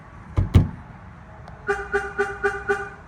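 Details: 2001 Chevrolet Tahoe aftermarket alarm with shock sensor set more sensitive: two light knocks on the body, then five short, evenly spaced horn chirps about four per second; the warn-away is working.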